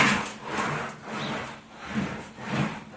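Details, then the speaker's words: Wheeling machine (English wheel) with flat-faced bottom wheels smoothing a sharp-radius panel: even, soft rasping sweeps about twice a second, no clapping, after creeping up pressure with the bottom adjuster; wheels now rolling smoothly. "I just creeped up a little bit with our bottom adjuster you can hear it starting to sound a little smoother"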